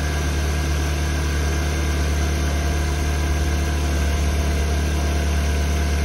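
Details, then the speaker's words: 2005 VW Beetle (P0455 gross EVAP leak) after replacing faulty fuel pump and its faulty gasket: low steady idle hum, even beat about ninety a minute, no stumble or misfire; fuel pressure in spec, runs better, still rich. "spec definitely run this better still rich this fuel pump is definitely doing what it's supposed to do"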